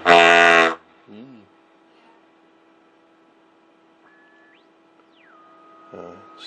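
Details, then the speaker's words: Airline 62-131 tube radio under restoration, first power-up with little antenna and some shields still missing: volume turned up too loud, loud harsh howl then low steady hum with whistles sweeping while tuning; owner suspects feedback, not confirmed. "I turned the volume up too loud. That could very well be feedback because I'm still missing some shields over here."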